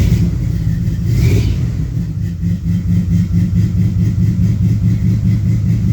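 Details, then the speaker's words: 1972 LeMans with International body swap, cold day about 47°F, warming up at idle: low V8 idle with uneven beat and dipping level; misfire sounds like it might be worse now; cause not confirmed. "actually it sounds like it might be missing worse now"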